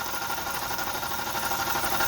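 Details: 2002 Yukon idling in cold weather (about 15°F): steady whirring growl with faint tapping; dealer diagnosed rod knock, owner suspects worn alternator bearing instead and swaps the alternator.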